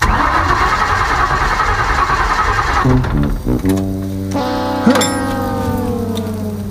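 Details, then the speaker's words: Ford Maverick junkyard EFI swap, first attempts: starter cranks about three seconds without catching and no fuel pump hum heard; injector and wiring checks next. "oh we got that don't hear no fuel pump though that's what i'm trying to listen for"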